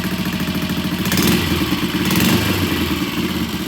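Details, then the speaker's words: 1969 BSA 250cc single after repair: even, regular thumping at idle with light mechanical clatter and no misses or knocks; running nice, though the battery is not holding charge. "okay we got the bike running it's running nice"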